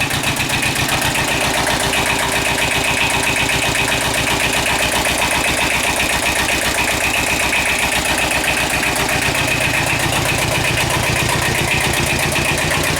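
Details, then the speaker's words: Kubota L-series two-cylinder diesel tractor (mid-70s) just started after repairing internal oil leak causing low oil pressure (camshaft aluminum plugs, per TSB), old oil still in, warming up; steady even clatter at idle, regular pulses, no misses or knocks; normal idle. "there we go sounds good it's a two-cylinder so it's got a weird kind of thought to it"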